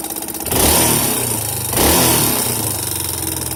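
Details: Yamaha Serow 225 with auction-bought XT225 1KH/1RF engine swapped in, running XT225 3RW1 CDI: single-cylinder idle with ragged beat and two throttle blips, odd mechanical rattle over it; abnormal noise, cause unclear.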